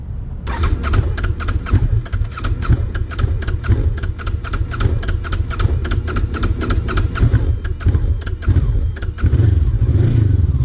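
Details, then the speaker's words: Honda CB500X on cross-country trip, increasingly hard to start: long rhythmic starter cranking that won't catch until it roars near the end; hard starting, cause unknown. "Wow. What the hell is up with the bike? Why is it so hard starting? That's kind of strange."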